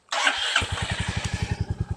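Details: Stolen, abused Royal Enfield Meteor 350, first start since purchase, hot-wired with a screwdriver after a dead battery and the kickstand safety cutout: a short crank catches at once, then settles into an even thumping idle of about eight beats a second; a clean, healthy start.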